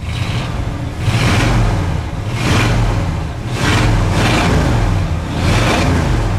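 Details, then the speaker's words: Ford wrecker V8 (not cold) that popped around 2,000 rpm under throttle, after retrofitting a Chevy HEI distributor replacing Duraspark ignition: deep revs climb and fall cleanly with no popping; healthy revving, sounds a whole lot better. "seems to run really good with that distributor actually sounds not too bad it sounds a whole lot better my friends"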